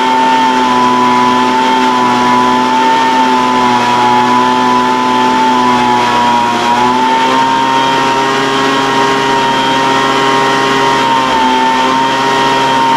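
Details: Older Craftsman 200mph two-stroke blower, sat unknown time, restarted after the high-speed mixture was opened slightly: high buzz at full throttle wavers a couple of times, then holds steadier. High-speed mixture hunting; carburetor acting funny after sitting, unconfirmed.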